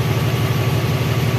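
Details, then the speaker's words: Isuzu 10PD truck after fixing air leak at air dryer bottom, tank drained and restarted; steady low diesel idle with even beat, no escaping-air hiss, air system charging normally. "Yan, nakarga na ulit mga kabumrom, oh."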